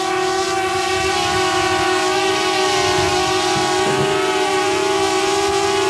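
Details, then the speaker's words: DJI Mavic Air hovering on stock propellers, before fitting Master Airscrew stealth props: steady, piercing bee-swarm buzz. Loud, annoying high-pitched propeller noise. "I think the biggest issue on the Mavic Air is it's such a high-pitched noise that makes it more annoying."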